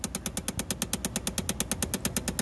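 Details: 2011 Chevrolet Impala, heard behind the lowered glove compartment: rapid, even clicking about nine a second from a faulty blend door actuator whose gears skip; clicking actuator identified by touch, replacement needed.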